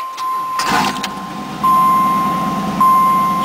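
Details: Firebird with LT1 V8, under 100,000 miles, sat 6 months, first crank failed on weak battery (alarm parasitic drain), then jump-started: cranks briefly and fires straight into a steady, even idle with constant accessory tone; normal start.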